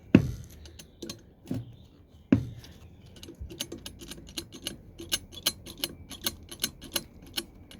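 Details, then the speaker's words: K03 turbo off a 2.0 TFSI (AXX) engine, being replaced by K04: light metallic clicking as the loose wastegate flap is moved by hand; it rattled when coming off boost. "Yeah, this turbo develops a little bit of a wastegate rattle. So when I was coming off boost, you get a little rattle, which is really annoying."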